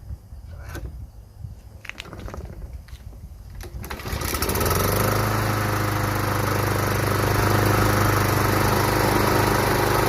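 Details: Craftsman Professional self-propelled mower, Kawasaki 179cc, model 12AE997E099, self-propel pulling right: a few clicks, then fires and settles into smooth even drone, no misses; engine runs fine.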